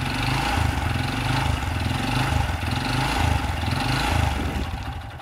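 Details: Honda Supra Fit motorcycle (first-generation engine) revved: deep uneven knocking rising with throttle, severe; suspected worn connecting rod big end, replace promptly; connecting rod knock.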